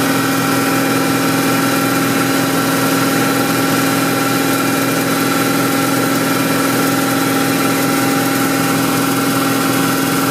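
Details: BMW M60 V8 held at steady 2500 rpm with a light, erratic tick that comes and goes rather than keeping an even beat; source unclear.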